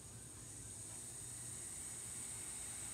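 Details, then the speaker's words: California Air Tools 2HP Ultra Quiet compressor: regulator set to 90 psi suspected of not sealing internally, so downstream pressure rises past the setpoint; a thin, steady air hiss over shop rumble, ending in a click. "can hear the hissing starting again now i think what's happening is there's something wrong with the regulator here for some reason it's not sealing properly internally so it's not stopping at 90 psi"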